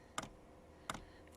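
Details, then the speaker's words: 8kW Chinese diesel heater in a static caravan at initial power-up: crisp single ticks about every 0.7 seconds in a quiet room as the dosing pump primes, no diesel yet visible in the line; normal. "initial power up sucking that says it's doing its funky stuff that's working so nip outside and see what it's sucking that to diesel through ticking you can hear"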